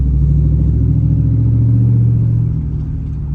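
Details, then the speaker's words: 3rd-gen Ram truck turning after power steering fix: steady low engine rumble with no rising whine from the pump; normal power steering, though the truck still creaks from worn ball joints and struts. "there's no wine the truck makes a bunch of creeks it needs ball joints it needs struts it needs things like that but as you can [Music] listen there is no power steering noises now"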